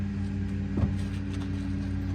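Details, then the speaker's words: 1971 Volvo 142, B20B engine, with its 32/36 carburettor after one more adjustment: a steady, even low idle with one brief bump, settled and running smoothly. Normal idle; now a driver. "who says the 3236 is a bad carburetor there you go that's a driver"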